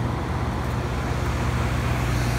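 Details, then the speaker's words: 5-ton packaged residential heat pump running in heat pump mode, drawing 21.4 A (a little higher than in cooling), after a thermostat jumper was added: a steady, even low hum with no knocks or squeals, running normally. "so you can hear it run it's in heat pump mode the amps being drawn is 21 21.4 amps a little higher than it was in cooling"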